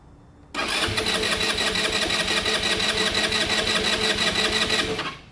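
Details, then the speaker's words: Genuine Buddy 125 scooter after carburetor rebuild, fuel drained, vacuum petcock; starter churns at about three beats a second without catching, as the empty float bowl has not yet refilled. "It might light for a second and then die right away. That doesn't necessarily mean there's an issue. You still might just need to fill the float bowl."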